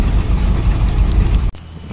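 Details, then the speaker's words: Carbureted car after cleaning its carburetor with starting fluid: the ice-cold engine idles with a deep, steady, even beat and no stumbling, then the sound cuts off. Before, even when warm, it barely idled and then stalled; now it idles great. "before even after I warmed this up this thing wouldn't even Idle Man it it would barely idle going like that and then it would stop now it's still it's ice cold it's ising great"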